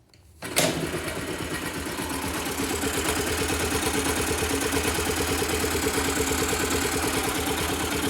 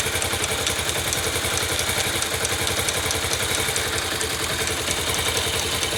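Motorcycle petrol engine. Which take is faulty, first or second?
second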